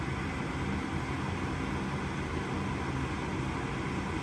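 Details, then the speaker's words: Gas furnace that makes noise but won't light: steady inducer blower hum, pressure switch should close but hot surface igniter never glows red, no ignition, then stops; lights when lit manually, so igniter judged faulty. "Si ven ese palito que está ahí, tenía que haber encendido, ponerse rojito, pero al parecer no lo está haciendo. Y ahí paró."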